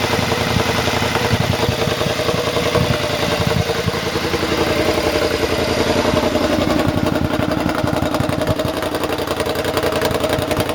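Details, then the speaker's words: Triumph motorcycle with newly fitted rebuilt exhaust: rough revving with irregular crackles and pops on the overrun; running lean because the air injection system (AIS) is still connected. "They're still popping a little bit because the AIS, the air injection system, is still connected. I do intend to disconnect it. That's what causes the popping. It's running lean."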